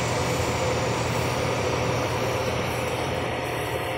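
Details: Sharp twin-tub washing machine, spin dryer after replacing the defective dryer motor that caused weak spin: steady, even whirring rush with no knocks, scraping or wobble; spin dryer running smoothly and healthy.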